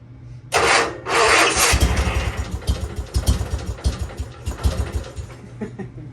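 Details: Sears GT 19.9 garden tractor engine after sitting about 2 years, fuel primed: cranking catches into ragged, surging, stumbling firing that never settles to idle; hard starting, cause not confirmed.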